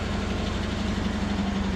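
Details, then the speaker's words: Antique International tow truck, cold start near 60°F, oil pressure showing: steady even low rumble, no knocks or misses, motor runs well; separate ruckus from transmission, bad bearings or straight-cut gears suspected. "you may hear all that Ruckus down there but watch this sounds all nice and pretty and as soon as you so I don't know if the transmission's got bad bearings or if it's straight cut gears or what all that noise is but the motor runs phenomenal"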